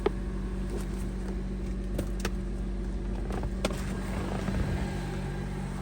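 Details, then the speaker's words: 2008 Honda CR-V after catalytic converter replacement and P0420 cleared: smooth steady idle with no ticks, rattles or exhaust leak; running normally. "and done. And she sounds beautiful. No exhaust"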